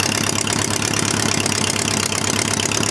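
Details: Homemade four-cylinder Briggs & Stratton engine after starter/generator replacement, having sat all winter: an even, steady chuffing idle with regular firing pulses and no knocks or misses. Normal idle.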